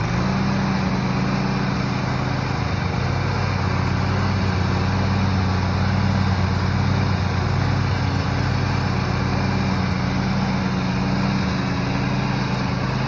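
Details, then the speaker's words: Riding lawn mower after the old gas was run down and the tank refilled, now warmed up: steady, even engine drone with no surging. Owner thinks the earlier noise was the gas or a cold engine. Normal running. "I think it was just the gas or it just needed to be warmed up because afterwards it was running fine we did a little Joy rides"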